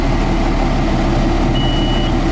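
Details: John Deere 7410 diesel tractor, first start after replacing a turbocharger with nearly 13,000 hours, warming up: steady, even idle rumble with no hunting or rattle; running healthily.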